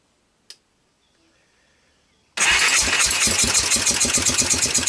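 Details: 1998 Honda TRX300EX ATV after previous owner's engine rebuild, cleaned carburetor, intake valves loosened, CDI swapped, starting on choke: fires and idles with uneven lumpy pulses about three a second; suspected carburetor float level or cam timing, not confirmed.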